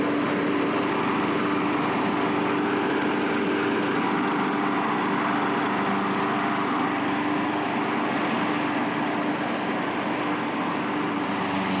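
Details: Curb-found self-propelled Craftsman mower, single-cylinder, after carburetor cleaning and reinstall; steady, even drone under mowing load with no surging or misfire: normal running.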